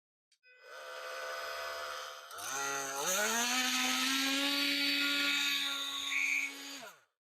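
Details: Makita multi-tool after replacing the burnt-out motor, initial test: motor spools up smoothly to a steady, even high-pitched buzz and holds it without rattles or surging, then winds down cleanly; normal running.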